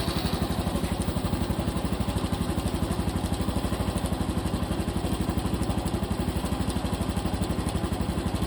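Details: Cub Pro single-cylinder idling after an oil change meant to cure an engine noise: a steady beat of about four pulses a second over the idle. The abnormal noise remains, source not pinned down.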